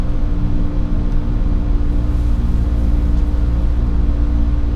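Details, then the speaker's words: Foothill Transit New Flyer hydrogen fuel cell bus running: considerably quieter than others, low even rumble with faint steady hum, no clunks or whines; normal quiet running. "But these ones come equipped with the same inferior seats and bike racks as the Dorados, but they are considerably quieter."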